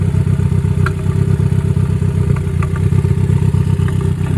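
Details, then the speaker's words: Ford Focus warming up at idle with a tuner connected: rough, lumpy idle with irregular beats about four a second, never smooth. Misfire detected on cylinder three after recent spark plug and injector replacement; timing suspected, not confirmed. "So, we have a misfire detected cylinder three. We did recently change spark plugs and fuel injectors, so maybe we have something not correct."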